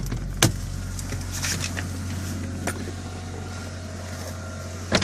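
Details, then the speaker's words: Car idling at raised cold idle while warming up, after cylinder head rebuild: steady low hum, no top-end ticking; engine runs quietly and properly. "вот я думаю то другое дело тихо работает все как положено"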